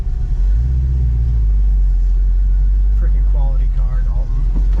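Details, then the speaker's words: 1965 Mustang Fastback V8 with big cam, idling around 600 rpm; deep, uneven loping rumble, healthy choppy big-cam beat. Lopey cam idle. "even though it's big cam it's still idling right now about i don't know maybe 600 rpm yeah you can just hear that got a nice lopi cam sound for sure"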